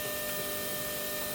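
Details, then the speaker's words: LS-swapped turbo Ford Ranger getting dual Walbro 450 lph fuel pumps, pump relay jumped to battery positive, fuel line draining into a can: steady, even electric hum with fixed high whine, no surging or grinding; pump running normally. "I'm just gonna put it on the battery positive and then you'll hear it engage here the fuel pump running"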